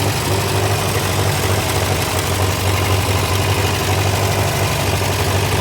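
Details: Massey Ferguson TO35 tractor after rebuild, at idle: low steady idle with a quick ticking knock about four per second, tracking engine speed; ticking/knocking source unconfirmed.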